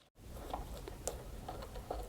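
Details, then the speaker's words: BMW E60 M5 (S85) removed old rear upper control arm, worked by hand: irregular gritty crunches from its worn ball joint grinding, with no play yet. "and you can hear it grinding thankfully there's no play so that means the car wasn't going to do anything funny down the road but it probably wasn't far off"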